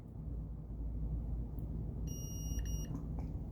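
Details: Multimeter on a South Park pinball machine being diagnosed for dead solenoids: leads touched together on diode setting give one steady high-pitched beep just under a second over low room rumble; continuity check works.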